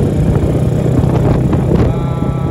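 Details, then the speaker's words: Honda Supra X with Daytona 190 engine swap, first test ride: deep, loud, blatty exhaust drone with slightly uneven throttle pickup; aftermarket exhaust too noisy and carburettor not yet tuned properly. "Ini karbunya belum benar. Dan mungkin gua suaranya agak ketutupan sama mesin ini karena mesin ini knalpotnya terlalu berisik."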